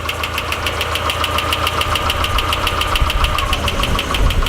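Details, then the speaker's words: Nissan 240SX S13 coupe, original-block KA24E, first start after sitting six months, cold: sharp, even valvetrain tick about three or four times a second at steady idle, settling in; owner thinks it's from sitting so long; no squeal. "Also, the tick noise is kind of settling in. I think it just sat for so long, you know what I'm saying?"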